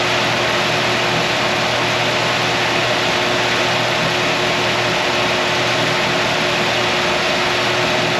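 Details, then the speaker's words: LS-swapped 1955 Chevy truck at 223 degrees; strong steady rushing air over a constant low hum, even and unbroken, as the electric cooling fan kicks on; cooling fan running normally. "so we're 223 it should be kicking back on just about any time now we're looking at this number right there so there's the fan kicking on"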